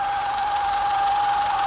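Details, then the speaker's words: Audi TFSI direct-injection engine, warm idle with engine cover on and check-engine light lit: steady thin whistle, like something scraping (belt or pulley?), over an irregular, unstable idle; cause not yet found. "E a marcha lenta, pessoal, ela tá irregular, ó. Não tá estável não, tá?"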